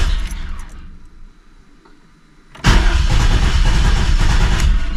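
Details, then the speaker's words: 1988 Camaro RS fuel-injected engine that sat over a decade, crank attempt: starter churns steadily, then fuel rush heard but engine never catches; crank no start, fuel delivery suspected, debris found in tank, new injectors and fuel pump ordered. "Well, I can hear it running, like it's running fuel. Do you think it's just straight running fuel? It's not a carbureted engine, so you shouldn't have to freaking pump the fuel like that."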